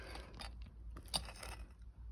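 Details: Land Rover Freelander 2, loose rear shock absorber worked by hand: dull irregular knocks and clicks from play inside the shock body; silent blocks, bearings, stabilizer link fine; rear shock absorber knock.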